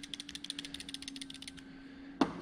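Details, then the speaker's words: NA/NB Mazda Miata, timing belt idler/tensioner pulley off the engine: rapid loose clicking, about a dozen a second, as the pulley is rocked; worn bearing with play causing the rattle under the timing covers. "so they're just little bearings and what happens is as they wear out they develop some play in the bearing you can hear that I think they're both that way oh this one's way worse that's probably the one we were hearing"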